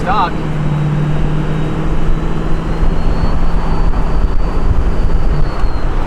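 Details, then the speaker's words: Ford 6.0 Powerstroke diesel with newly installed compound turbo kit, road test: deep steady drone, faint even turbo whistle rising gently and holding; compounds sound relaxed, not stressed like a fast-spinning stock turbo; normal spool. "It just sounds like it goes like like it's not stressed out. It's not trying to, you know, like a stock turbo, they spool up. They sound like they're spinning fast."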